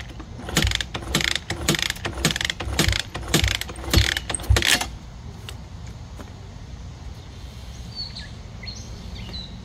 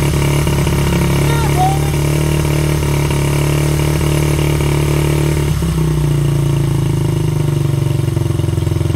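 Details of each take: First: 1985 Honda XR80R, not run for a long time, with 60 psi compression and good spark, gives uneven rhythmic chuffs from repeated kicks about twice a second, then silence; it turns over but never fires. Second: 1985 Honda XR80R, not run for a long time, started with a drill and a squirt of fuel, possibly flooded: small single fires up and settles into a steady, slightly uneven idle with a low thumping beat; runs after storage.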